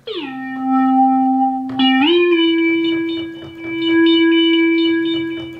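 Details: ARP Pro/DGX Mk I synth after repair of a bad slider, LED slider work and recapping: a steady synth note swells up and down cleanly with no crackle or dropouts; volume slider now sweeps smoothly.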